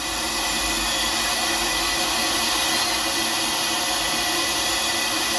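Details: 6.0 Powerstroke with rebuilt engine (new block, heads, rotating assembly) under air test, engine off: loud steady hiss of air escaping at the high-pressure oil pump discharge fitting, still leaking after a Ford standpipe was fitted; the bolts were found yielded.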